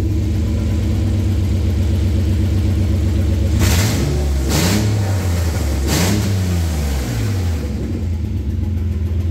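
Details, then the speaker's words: 2005 Suzuki Grand Vitara 2.5L petrol with a low-power, rough-running complaint: the catalytic converter is removed for a back-pressure test and the exhaust runs open, a loud, deep, raw roar climbing hard with each rev to high RPM. The restricted cat is confirmed as the cause. "let's do the back pressure test now let's see what we get alrighty let's do the same test now it's pretty damn loud"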